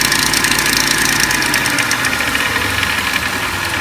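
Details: 2004 Lincoln Navigator at idle: light, uneven metallic clatter riding high over the idle, loudest up top; timing chain noise.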